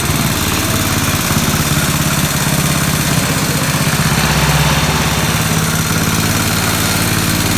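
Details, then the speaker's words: 1969 Locke reel mower, long stored in a barn, after carburetor adjustment: loud small-engine putter whose beat wanders a little; running pretty well but not fully tuned, carburetor still needs fine-tuning. "okay after messing with the carburetor i got it running pretty good not 100 gotta fine tune it a little more"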